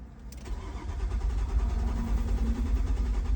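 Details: Steady starter cranking, a low rapid churn of about three to four beats a second that never catches. It cranks but won't start, and the tachometer shows no RPM though the code reader does; needs further diagnosis.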